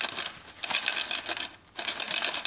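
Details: Godox SK400 II studio flash, totally dead after a failed earlier repair, shaken by hand. Bright, tinkly rattling in two bursts from loose broken glass inside the flash head.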